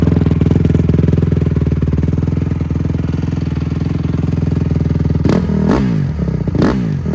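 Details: Rebuilt 2007 Honda CRF150R started after the rebuild (seals noted as installed wrong): steady, even single-cylinder thump at idle, then clean sharp throttle blips that rise and fall crisply; runs healthy.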